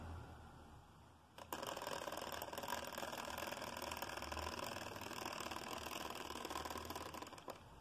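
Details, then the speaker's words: Hornby Class 47 model loco after commutator cleaning and pinion greasing: slow crawl with busy buzzy gear chatter about four clicks a second; owner plans to file writing off the gears to quiet it. "i finally managed to get some sort of a crawl out of her there we go not better not bad that's all"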